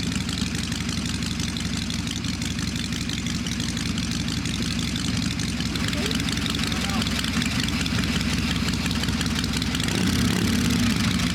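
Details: V-twin "little 81" at idle after a clean-up and tune-up, slow, loping, a touch lazy but even, no ticking or rattle; owner says smooth and quiet, idle set low: normal idle.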